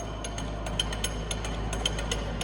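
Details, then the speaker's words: Stanko 1M636 heavy-duty lathe (Russia), 600 mm 4-jaw chuck, spindle at 50 rpm: light metallic clicks several times a second over a steady low hum; loose chuck jaws rattling, silent once tightened, no noise from gearbox or spindle. "ये जो भी आवाज आ रही है ये इसके Jos की आवाज आ रही है। मशीन के गियर बॉक्स में और मशीन के स्पिंडल में कोई भी साउंड नहीं है।"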